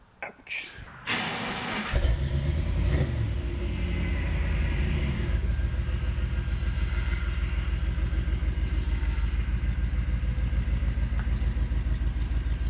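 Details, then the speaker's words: 1991 Chevy 454 SS, 7.4 L V8 replacement engine, driving on the road with good oil pressure: heavy, even V8 rumble with a steady beat and no ticking or knocking; makes really good noises, normal running. "stick around the road for a little Buddha Rooney if nothing else it makes really good noises"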